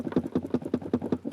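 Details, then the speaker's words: Renault Logan knock from right-side panel: quick hollow tapping about five times a second with no engine behind it; empty washer reservoir rattling against the body despite being bolted, fix by wedging foam padding against it. Washer reservoir rattle. "омывателя если он пустой он бренчит хоть и прикручен видимо снизу расстояния слишком маленькое так кузова и он короче бренчи"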